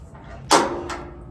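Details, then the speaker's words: New FEASTO Roamer portable propane grill, first start on a brand-new 1 lb bottle: sharp spark snap and fainter click, no gas hiss or flame, because the regulator's on-off valve was closed. "Turn the gas on. Nothing, don't hear no gas. No, it's got a spark, no flame."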